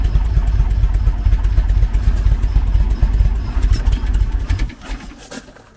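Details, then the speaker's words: 1974 VW Beetle with Weber IDF carburetors, cold: lumpy uneven thumping about two beats a second, fades and nearly stalls without throttle; running on one cylinder fewer from a blocked idle jet, main jets clear. "still blocked here it's down on one cylinder there anyway see it won't idle at all while it's cold when it's down on one cylinder like that"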